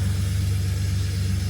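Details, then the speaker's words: BMW E21 with M50/M52 engine after replacing ignition coil packs, started after sitting a while (took longer to crank), not yet warmed up: deep, steady idle rumble, even firing, no stumble or miss; appears to run normally. "But she appears to be working. She appears to be working, so let's go warm it up, take it out and test her out."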